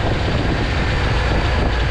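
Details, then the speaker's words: 1988 Chevy C30 wrecker after throttle body and injector service; a fast, steady drone with no dips or stumbles, the idle sitting noticeably higher than before, and the owner notes more power that could also be from fixing fuel pressure, high idle. "so ever since been in a throttle body and injectors the idle has come up a lot more"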